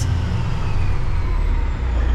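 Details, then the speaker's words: Kenworth cabover diesel after a suspected gummed or stuck injector cleared itself by running clean diesel and warming up: deep, steady rumble with an even beat, no misses, knocks or smoke; throttle responds normally. "Well, it's not really smoking right now, but it's running. And it sounds like it's running good. Like I hit the throttle and it just does what it's supposed to do."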